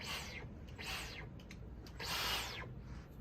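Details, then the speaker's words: New Dyson V15 Detect cordless vacuum, handheld at unboxing on its factory charge: short bursts of high, zippy, laser-like whirring with a clean, even tone. This is a normal motor. "oh and it already turns on oh it makes a cool noise too sounds like a laser gun"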